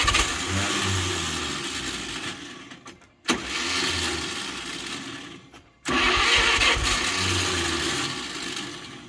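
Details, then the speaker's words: 1938 Chevrolet Master Deluxe sitting since the 1970s, revival attempt: three slow, labouring crank attempts without catching; fighting low compression and a weak starter. "what we're fighting here is some pretty low compression and a quite a weak starter unfortunately"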